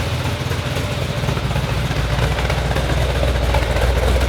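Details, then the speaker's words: Freshly restored car's engine, first-ever start, with a mild Comp Cam 270 cam: deep, even lumpy rumble at idle with mild cam lope, steady rhythm and no knocks; healthy idle. "It is running really nice right now. That's a really good idle. Got a mild cam. We run a comp cam 270 in these things. Got a real nice rumble to it."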